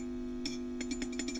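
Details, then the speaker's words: WEM Westminster MK9 10-watt push-pull valve guitar amp, ECL82 outputs, Fane 12-inch speaker, at full voltage during restoration: steady low hum, and tapping the Mullard preamp valve adds a bright glassy ring through the speaker; microphonic preamp valve. "so you can see very noisy Mr mullard here this preamp tube I didn't um is microphonic"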